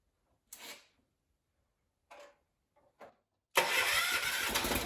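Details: John Deere 300 garden tractor, Kohler K341 single-cylinder after a ground-up rebuild, first start with carburetor not yet tuned: a few short failed attempts, then it catches and runs steadily; sounds healthy.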